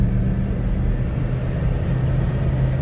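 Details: V8 running after fuel injector cleaning, heard with a noisy airbox; deep, steady rumble with an even beat and no misses or knocks; normal running.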